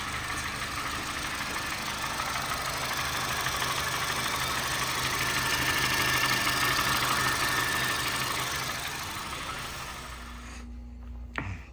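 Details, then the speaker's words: Honda Fit GD3 at about 120,000 miles, before first valve adjustment: fast, even light ticking, about three per second, over steady idle; top-end tick suspected valves needing adjustment, cause not confirmed; owner also reports a loud camshaft pulley. "But yeah, man, as you could see, she is clicking away. This poor girl man, she's only got 120,000 mi and there is no reason she should be running the way she is."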